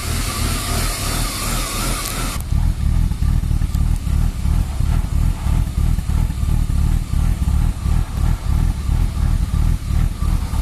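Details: BMW E36 325i: uneven, lumpy idle pulse about three beats a second, stumbling rather than smooth; MAF and throttle position sensor replaced and idle valve cleaned without success; rough idle fixed by replacing the lambda (oxygen) sensor.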